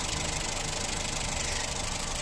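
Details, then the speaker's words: 2011 Honda Insight hybrid 1.3, ex-taxi at about 322,705 miles, under-hood idle: light fast tickety ticking over steady idle hum; normal for this engine, nothing to worry about. "1.3 always does this tickety-boo sort of noise there. You hear it? So it's fine."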